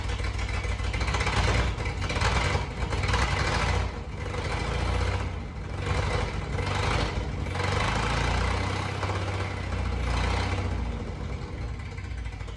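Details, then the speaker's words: 1988 Jeep Comanche 4x4 that sat for years, with new fuel pump and lines, fired up using starting fluid: uneven, lumpy running that surges and sags every few seconds with a loping beat. Sounds down a cylinder, misfire suspected. "And I got to be honest, when it first did, I really didn't like the way it sounded. It almost sounded like it was down a cylinder or something."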